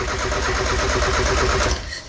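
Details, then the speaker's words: Miata, just rewired with color-coded connections: steady starter churn with an even beat for under two seconds, no catch or firing; cranks but won't start, owner suspects wrong firing order and changes it. "You know what? I should check the firing order, but typically if the firing order was wrong, it would hiccup and bang and pop and a bing."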